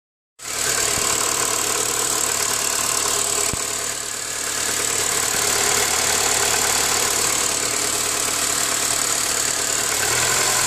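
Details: Honda K20A6 petrol engine idling with a bright, hissy high-pitched noise and fast light ticking over it, unidentified; the noise gets quieter when warmed up.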